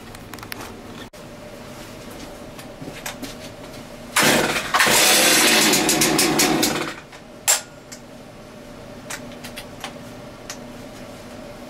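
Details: Chainsaw test fire after servicing and chain sharpening, chain refitted: quiet handling noises, then the saw fires and runs loud and even for about three seconds before cutting off; sounds healthy, running normally.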